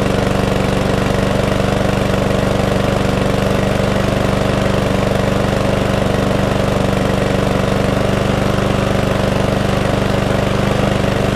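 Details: Cheap mower that would not stay running, now repaired with the fuel tank flushed, carburetor cleaned and overfilled oil drained: the engine holds a steady, even beat with no surging or stalling and runs healthily.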